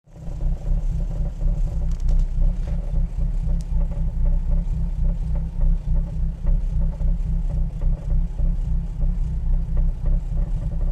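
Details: XR4/ST150 at idle only: deep, uneven rumble with a dull knock about three or four per second, seemingly from the front left; recently started, source unknown.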